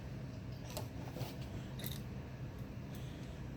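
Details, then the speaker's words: Brand-new Dell Inspiron desktop (Intel Core i5, 1 TB hard drive) fresh out of the box, tipped by hand: faint hard clicks of something small sliding and knocking inside, a loose screw rattling in the case; front bezel suspected. "so this is this the computer is just fresh out of box there's something loose in there"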